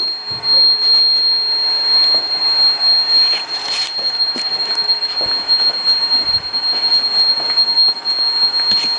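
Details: Robot vacuum DCZ70 running: a thin, steady high-pitched buzz over airy suction hiss, an abnormal buzzing noise with no clear cause.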